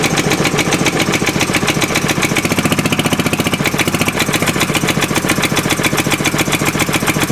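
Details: Fairbanks Morse Model Z Style D single-cylinder stationary engine running after head-off inspection showing a machined cylinder, hardened valve seats and lapped valves; crisp, regular firing at about two and a half beats a second, steady and healthy.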